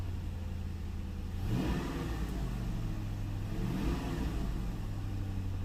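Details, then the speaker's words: Ford Town Car V8 after replacing a bad coil pack that caused a cylinder 8 misfire: smooth, even idle, with two quick revs that rise and settle cleanly without stumbling. "let's see what it sounds like now a little bit dirty it's a work car use this thing every day every day until i have a misfire [Music] nice and smooth"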